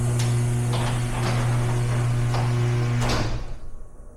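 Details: Garage door with an opener, recorded after roller replacement; a steady low motor hum with soft, even rolling thumps and no rattle or scraping, so the door runs smoothly and quietly.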